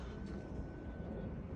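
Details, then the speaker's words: LiftMaster LA400 gate opener closing the gate via the button; low, even motor hum with no knocks or grinding, smooth and gentle; normal operation. "really gentle I'm so impressed with how it's just"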